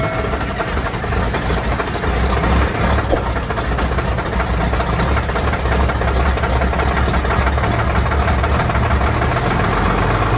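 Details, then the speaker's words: LMTV M-1078 diesel, cold start on a chilly day with engine heater on, after battery box overhaul and new starter solenoid contactor: steady, even idle with deep rumble, no stumbling or misfire; no stutter starting. "can't say enough how i like that no stutter starting anymore well this is a cold start but with the engine heater on"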